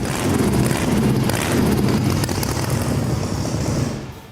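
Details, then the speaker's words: Volkswagen engine with a blower: a deep, even rumble that holds steady with no backfiring, pops or misses; a strong, clean-running engine. "There's no backfiring, there's no nothing but a strong running, clean sounding engine."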